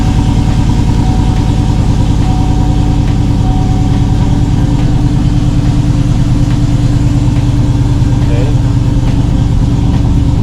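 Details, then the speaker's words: 5.3L Chevy Silverado with a Granatelli 103mm throttle body, spacer, ported 6.2L intake manifold and retune, started after a throttle body relearn, truck sat a while: V8 idling high at 1,200 rpm, uneven and hunting, owner says idling a little funny. Cause unconfirmed. "My truck's been off for a while, so I know it's going to idle a little higher. Right now, it's idling at 1,200."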